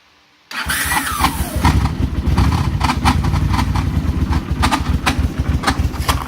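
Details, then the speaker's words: Honda Silverwing running hotter than normal, cold start: the engine catches and settles to a rough idle with a fast, irregular ticking clatter; owner thinks it comes from behind the radiator, possibly the timing chain, source unclear. "It's definitely coming from the radiator area. Not coming from the heads. Well, maybe. Almost sounds like a timing chain."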